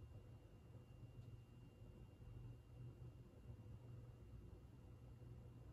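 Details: 52-inch GE AirCool ceiling fan, antique brass, original five-light kit, motor thought to be cast iron, on low speed: soft steady hum with no ticking, scraping or rumble; runs very well, bearings silent, normal.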